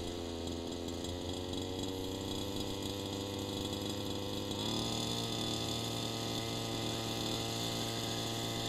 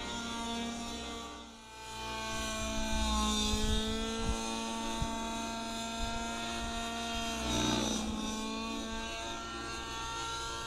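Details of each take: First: Gas RC engine warming up at about 45 °F at the flying field, low-speed needle turned rich: uneven burbling idle, consistent four-stroking with exhaust smoke, cold weather helping; rich low-speed needle. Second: Gas model helicopter engine near optimum needle setting, easing into full collective: strong steady buzzing note holds pitch under load and keeps climbing cleanly; normal running.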